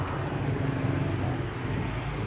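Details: Honda Supra GTR 150 motorcycle started on the starter after fitting a plug-and-play remote alarm; a short, low, even rumble settles with no misses or rattles, a normal start.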